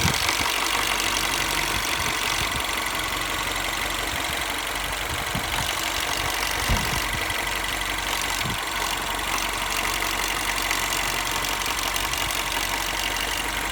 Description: When cold the car sounds good, when warmed up the car seems to make a loud knocking / ticking that comes and goes.